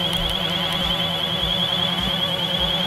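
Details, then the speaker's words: Xiaomi FIMI A3 camera drone in flight, motors giving a loud high wobbly whine over the drone; chirping motors, described as chirping or seizing, also heard on Xiaomi Mi 4K, cause not found. "and the other big issue with the Femi a 3 is the chirping motors or yes seizing it definitely has a very high pitch you know like a wobbly sound and you'll hear that again when we fly this"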